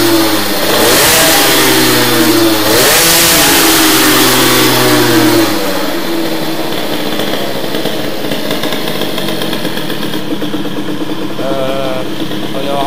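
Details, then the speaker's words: Teknix T6 two-stroke moped with BOOST cylinder head, revs up then settles to a fat, burbling, muffled note, nothing like the Doppler head; carburetion very rich, main jet too large, to be lowered. "Ah, ça fait vraiment pas du tout le bruit du Doppler. Hein. Donc pour le moment, la carburation est très riche."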